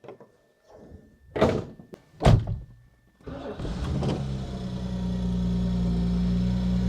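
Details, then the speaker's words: Princess 2200 six-cylinder vintage car after compression test and valve clearance check, mic inside the car: a couple of thunks, then catches right away and settles into a smooth, heavy, even idle with no misses or knocks. "mic is inside the car so maybe you cannot hear it but it is really it's heavy other than that it's really really sounding nice"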